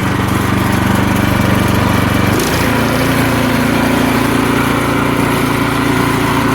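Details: About 10–12-year-old Craftsman 247.889571 snowblower, lightly used and given away as a non-starter, running on fresh ethanol-free gas after the old fuel was drained: small single-cylinder engine settles into a steady, even chug with no misses or knocks; healthy idle.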